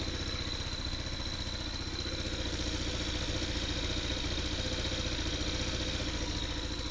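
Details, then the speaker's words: Scooter started after adding a fluid-filled system with no leaks, shroud off: small single ticks over at a steady, even beat with light top-end clatter; running good, normal idle. "So what I did was I started her up. It's running good, there's no leaks in the system."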